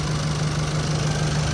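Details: Engine rebuilt after broken piston rings caused blow-by, alternator bearing also replaced, first run after overhaul: steady even low idle hum with no ticking, knocking or stumbling; healthy.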